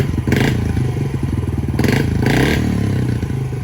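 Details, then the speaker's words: 2019 Yamaha TTR 50 that only ran on choke when cold, idle mixture screw set about 1.5–2 turns out, warm: quick throttle blips drop straight back to a steady, even idle with no hanging revs; normal idle. "the idle doesn't hang anymore."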